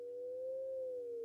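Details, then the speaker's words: 1960s BWD sine and square wave signal generator wired straight to a cheap speaker with no amplifier, in its audio range: a clean, steady tone around 500 Hz that sags slightly in pitch, quiet, with no buzz or distortion. Normal sine tone output. "so that appears to be working quite well it's very quiet but obviously it hasn't got an amplifier and in it but I can get the noise through the speaker"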